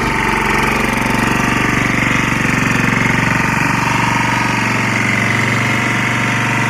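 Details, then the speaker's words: Lombardini 6LD260 air-cooled diesel on a traffic sign, cold start after 10 years unused, old fuel purged, fresh diesel from remote tank; steady even thumping about 200 beats/min, clean clatter, no misses, smoking a little, running against the generator; normal idle. "seems to be running up against the generator it's not horrible noisy it is smoking a little bit"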